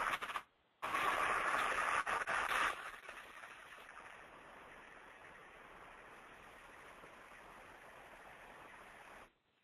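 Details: 600 hp electric motor, bearing number two recorded by ultrasound before greasing: harsh crackling hiss with rough uneven spikes — bearing running dry of grease.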